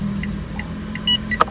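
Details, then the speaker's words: 2022 Mitsubishi Xpander Sport CVT, instrument-cluster turn signal sound options demonstrated: crisp even clicks roughly three a second, steady and regular; indicator sounder working normally. "Nah, ini yang gua demen nih, suara sein-nya nih. Suara dua dia kayak gini. Ya, biasa aja sih yang suara satu."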